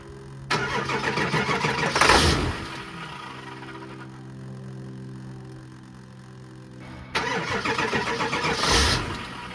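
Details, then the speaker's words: 2003 Ford F-250 7.3 turbo diesel Powerstroke, about 383,000 miles, first start after sitting a year and a half. Brief crank, then it catches into an even diesel clatter, running pretty smooth with no misses or stumbles. Normal idle. "it's running pretty smooth no misses or anything"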